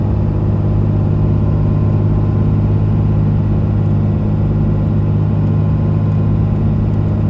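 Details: 2001 Dodge Ram 2500 4x4, 5.9 Cummins diesel, automatic, 90k miles, fully serviced, pulling uphill; a steady deep drone, even pull, no hesitation, hard shifts, slipping or flare between gears: normal engine and transmission under load.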